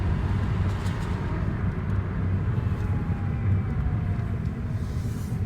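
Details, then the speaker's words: 2015 Hyundai Elantra automatic on a road test before the transmission was replaced: under road rumble a faint thin whine appears on throttle and goes away on lift-off while shifts stay fine. Automatic transmission whine. "so it shifts just fine it's just making that noise every time i give it a little bit of throttle i let off and you can hear it it goes away"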